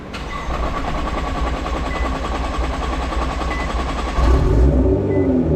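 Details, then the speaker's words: Nissan R35 GT-R start after fitting two AEM high-flow fuel pumps: short wait with repeating chime for fuel pressure, then quick catch and even idle; normal start, fuel delivery healthy. "voila, just like that, you have got yourself 2 brand new AEM high performance fuel pumps."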